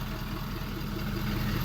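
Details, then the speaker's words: 2013 Ford 6.7 Powerstroke diesel after exhaust manifold and turbo replacement (complaint was a squeal under heavy throttle, suspected manifold): low, steady idle with an even beat, no ticking or puffing at the manifolds; normal idle. "you see that new turbo there yeah thing runs good really happy with it"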